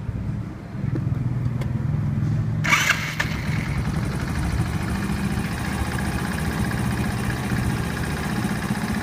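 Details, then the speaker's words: Honda horizontal 50cc-class engine (Super Cub/C50-type) cold-started right after valve adjustment: short crank, then a smooth, even, quiet idle with no valve tick; valves sound healthy. "they sound pretty quiet I'm happy with this"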